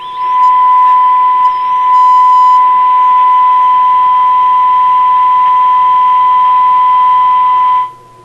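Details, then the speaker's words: Sparton Model 67 vacuum tube radio after repair of a broken wire connection, on the high shortwave band: a loud, clean signal generator test tone over light hiss, about 10.7 on the dial; the receiver works. "this is the high shortwave band well it's picking up lots of stuff I think it's all just noise"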